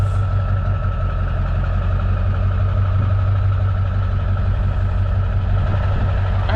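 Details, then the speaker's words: 1962 Plymouth Valiant slant six, hard-to-revive, automatic: steady low idle with an uneven lumpy beat and a few stumbles per second; rough misfiring running, owner suspects bad spark plugs, later replaced with new plugs and wires. "I don't think our plugs are any good okay you had that problem the other day yeah if I was that plug I wouldn't run either Joker look rough"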